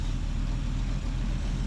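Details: 1976 Ford Ranchero 500 V8 after new timing chain and oil pump install, warm at about 190–200, idling: deep steady even sound, no knocks or ticks; healthy idle.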